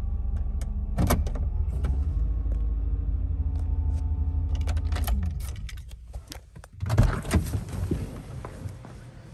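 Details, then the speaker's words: GM 5.7 TBI V8 at operating temperature after replacing a badly corroded distributor cap and rotor: steady idle around 800 rpm sagging slightly under gear load but keeps running, then door clatter; no longer stalls, normal idle. "the rpms are hanging around 800 and as i shift through the gears into reverse and drive notice the rpms do drop down a little bit as there's a load on the engine however it is no longer stalling out"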